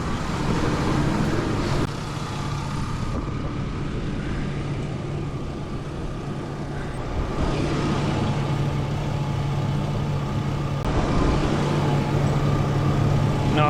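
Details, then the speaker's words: 2002 Chevy Blazer 4.3L V6 Vortec, slightly warmed up at idle: engine sounds good, but a loose, uneven tinny rattle comes from underneath the vehicle. "Engine sounds good. There's this weird rattle crap down here. Sounds terrible."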